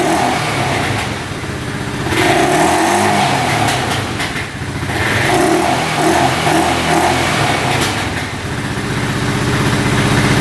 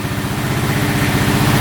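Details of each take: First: 2012 Honda Rancher 420 4x4 ATV single-cylinder engine thumps unevenly with occasional small backfire pops, running slightly lean with the air filter off; no codes, no oil leaking. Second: 2012 Honda Rancher 420 4x4 ATV running with air filter off, slightly lean with some backfiring, no codes or oil leaks: quick even thump and steady low rumble, a healthy-sounding idle.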